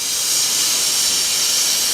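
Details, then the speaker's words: Presto pressure cooker on the stove past 80 kPa: strong, steady high-pitched steam hiss from the safety valve venting, showing it works properly. "aja kalau udah mendesis gini artinya klep pengaman kita ini bekerja dengan baik"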